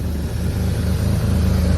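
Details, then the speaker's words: Abandoned E34 BMW 535i, M30 engine, sat 12 years, with a fuel pump issue: deep, even low rumble with steady firing pulses and no knocks or misses; very quiet, nice purr, a little smoky, healthy running. "She is running like a dream. Very quiet motor, I must admit, especially after sitting for 12 years. Got a nice little purr to it."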